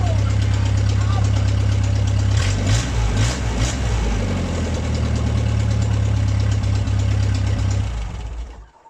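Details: MG pulled from the woods, first start in 22 years after a new ignition switch. Started cold without choke, it holds a deep, steady, even idle with no misses or knocks until switched off.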